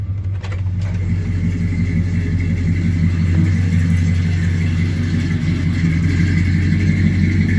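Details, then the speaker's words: 1978 Chevy Silverado long bed at idle after a cold start: deep rumble with a faint, steady high whine from the power steering pump, which owner says needs fixing or replacing. "only thing i gotta address is that power steering pump i don't know if you can hear it whining but it's whining"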